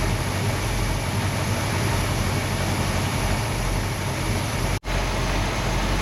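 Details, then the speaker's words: Hemi V8 muscle car engine idling in gear at about 665–670 rpm, vacuum around 13 inches, during a timing and vacuum check; steady, even low rumble with no knocks or misses, normal idle. "So we've got the car idling in gear, and we're going to get our RPM, which is pretty much around 670 RPM, 665, and then we're going to get our vacuum. Right now it's bouncing around 13 inches."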